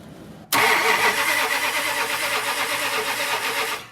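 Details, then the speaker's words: 1965 Chrysler Imperial LeBaron on Edelbrock carb, carburetor leaking: engine catches abruptly, runs ragged and stumbling a few seconds then dies; flooded, getting way too much fuel, carb needs rebuilding. "oh it's getting flooded yeah it's getting way too much fuel way too much fuel"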